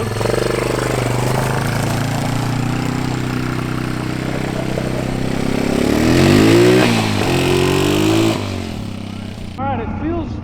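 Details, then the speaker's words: 1987 Honda Fat Cat 200 single-cylinder trail bike, revived after sitting at least 15 years, ridden with choke off: pulls steadily through the revs with an even beat, no misfire; runs cleanly though definitely down on power. "It is definitely down on power. It's just a little 200. Not bad. Not bad at all."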